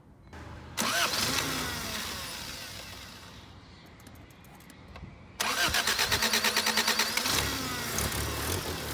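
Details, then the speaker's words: 1979 Honda Civic 1200 that sat about 16–20 years, after a spark fix: brief crank, then a steady, slightly uneven idle; ignition now fires reliably. "it seems seems like it's pretty close though seems like it's running pretty good at whatever it's set"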